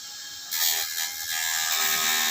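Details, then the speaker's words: Honda CBR150R with overheating complaint, radiator fan fed 12 V directly from the horn wire: steady high whirr holds evenly about two seconds then stops; fan motor spins freely and is healthy, so a non-running fan is not necessarily the fan's fault. "Jika sensor termostat dicabut dan kipas tidak berputar , belum tentu kipasnya yang rusak."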